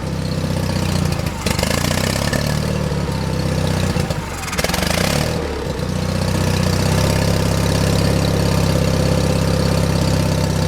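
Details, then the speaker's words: John Deere 316 lawn tractor, about 36°F cold day: uneven idle sags and nearly dies, then picks up lumpy while hand-choked; owner suspects clogged carburetor idle circuit jet, or just cold. Rough idle. "see if I can take that choke off yeah I think the idle circuit JS clogged I'm just choking it with my hand that's all or maybe it's real cold d"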